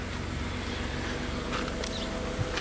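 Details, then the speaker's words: BMW 750iL E38 with 5.4 V12, revived after 10 years abandoned on an island, idling after hose replacement: very quiet, smooth low hum with faint clicks, much quieter than before; pump still to shut off; normal idle. "voiture est nement plus silencieuse qu'avant le remplacement de la duriteav ça fait beaucoup moins de bruit aussi à ce niveau la pompe va s'arrêter ça sera encore plus silencieux normalement ça fait plaisir"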